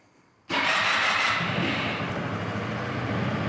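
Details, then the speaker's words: Brand-new 2022 SYM Fiddle IV 125 scooter, first start after assembly, ignition cycled three times to prime the fuel pump: silence, then it catches at once and runs smoothly with no knocks or misfires. "and that is it first start of a brand new scooter"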